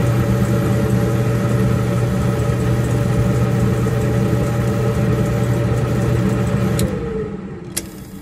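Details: Samsung gas dryer that shuts off about 45 seconds after starting: a steady low motor hum winds down and stops, followed by a sharp click. The drive motor was bad; replacing it fixed the dryer.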